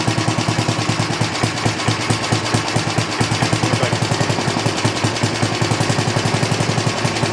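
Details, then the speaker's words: 1960s push mower small engine after plug cleaning, running without air cleaner or fan shroud: fast, even single-cylinder popping, picking up speed smoothly without missing; normal running. "rounds out and shuts off. Good. Sounds good."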